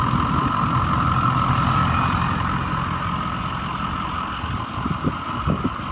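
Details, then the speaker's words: 2006 Ford E-450 Blue Bird Handy Bus, 6.0 L diesel, needed starting fluid to start, check engine light on: even idle with a smooth steady rumble and a faint constant hum, no knocks or misses; sounds healthy. "really good the check engine light is on so that could be a sensor that could be anything so gotta check it out"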